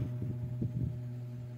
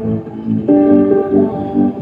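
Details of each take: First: B-35 bass amplifier powered on with mic at input: only a steady low mains hum with faint throbbing and no signal passing; the power amp section is faulty. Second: B-35 bass amplifier after repair, failed 2030 power amp IC replaced (previously only hum, no sound): clear plucked bass notes ring out cleanly with no hum or buzz; amplifier output normal.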